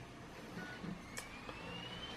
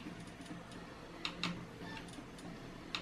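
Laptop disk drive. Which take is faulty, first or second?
second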